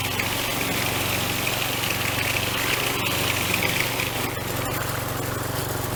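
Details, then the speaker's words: Troy Bilt two-stroke string trimmer after fuel system repair, new air filter, pre-filter and spark plug, started without priming: steady even buzz with no stumbles or surging, runs cleanly. "All right, sounds good."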